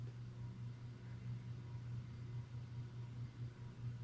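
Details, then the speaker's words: 56-inch EnviroFan 160F extra heavy duty industrial ceiling fan on speed 4 of a 4-speed wall control: quiet, steady low hum with only faint blade wind noise; running smoothly and healthy. "You can hear a little bit of wind noise from the blades cutting through the air, but not much."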